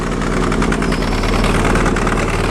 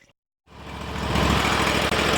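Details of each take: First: Sears Suburban loader with a 20 hp Briggs & Stratton Vanguard V-twin, smoking while limping back after plowing snow and low on fuel: an uneven, lumpy idle running on one cylinder, then catching on two, then a backfire; fire and aluminum shards were later seen. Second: Sears Suburban loader tractor, 20 hp Briggs & Stratton Vanguard V-twin, after smoking heavily from gasoline in the oil (fuel left on): catches and runs evenly with no misses, knocks or smoke once fixed; carb still to be pulled apart properly.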